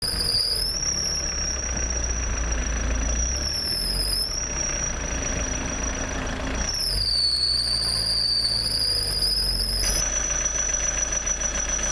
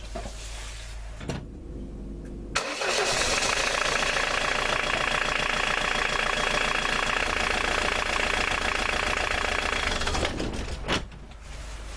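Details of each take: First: Ford Mondeo MK II 1.9 TD diesel (1999), engine running: a steady, piercing high squeal whose pitch shifts slightly with revs, which can come from a loose, slipping alternator belt that needs tensioning. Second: 1999 Ford Mondeo Mk II 1.9 TD diesel cranks, catches and settles into a steady idle after the alternator V-belt was tightened; no belt squeal over the diesel clatter, belt running quietly.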